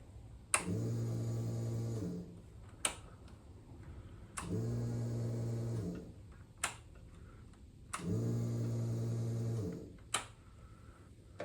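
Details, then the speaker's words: Ducati 748SP after fuel pump replacement and uprated internal fuel lines, first key turn: three even low hums about 1.5 s each separated by clicks as air purges; normal fuel pump prime. "so this is going to be the first key turn on camera so I imagine there'll be some funny noises as it removes the air oh yeah that sounds"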